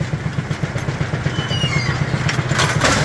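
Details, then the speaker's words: Brunswick A2 pinsetter after cycle solenoid replacement, retesting the turret with the long link latched for a false full-deck signal and an empty rack set. Steady thumping about four per second, then a clatter as pins drop cleanly; spring tension now firmer, no longer mushy. "and she drops. We have a significant amount of increase in spring tension now too."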